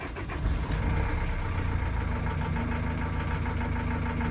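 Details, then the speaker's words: Ford Transit Custom mk7 van, starter cranking test with tester reading normal: rough, clattery whirr from starter while cranking; noisy starter, current draw seems acceptable. "so as i say it's okay to be fair but obviously we so it's just a noisy start so it's obviously not drawing too much amp"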